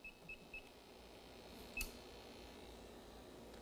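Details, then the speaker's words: CO2 leak detector warming up beside an evacuated A/C system (no refrigerant) about to be charged with 200 psi CO2: a few quick high-pitched chirps, then a lone beep over quiet room hiss before it enters sensing mode. "what we're going to do is introduce 200 pounds of co2 this will beep till it warms up and goes into a mode"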